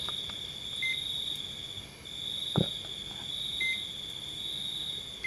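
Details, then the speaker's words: Multimeter in diode/buzzer mode on a dead phone board near the power IC, probing capacitor legs: a steady high continuity beep while the probe touches, breaking between contacts; that leg reads to ground as expected, normal. "Kalau kapasitor itu satunya bunyi, satunya nggak bunyi ya, ini multitester. Kalau yang kaki satunya bunyi itu artinya ground. Kalau yang nggak bunyi artinya plus, itu bagus."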